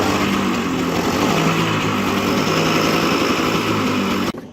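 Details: 24-year-old 1996 Bajaj Classic two-stroke scooter started cold after 4 years standing: quick steady buzzing pop at idle before switch-off, even firing, no misses; healthy normal idle.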